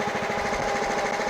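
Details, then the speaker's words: Scotts Murray 1542 mower with Kohler Command 15 single-cylinder, cleaned carburetor, after adjusting linkage rod for clearance, at lowest idle: low even chugging, no surging or hunting; runs great, though carb still leaks fuel. "Doesn't surge, runs great."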